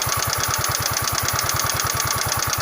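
Quick, even ticking at about ten per second over a small engine at idle, typical of a valvetrain tick. Cause suspected, not confirmed.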